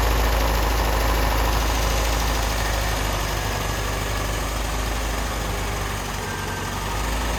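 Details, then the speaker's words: 1988 Lotus Esprit, first start after sitting, hot-wired with fuel pumps on a separate battery and new injectors and plug wires: low, lumpy, slightly hunting idle. Smoky, likely from WD-40 in the cylinders; rough idle from an off air-fuel ratio. "It doesn't smell like oil or gas right now. So the air-fuel ratios are definitely off because I'm"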